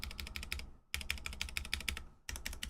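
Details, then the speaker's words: Vanguard 65 keyboard with Cherry Nixie switches and unlubed stabilizers; rapid keystrokes with a hollow, rattly clack on the longer keys. Unlubricated stabilizer rattle, not the best but consistent across the range. "they're not the best, but at least it's consistent across the range."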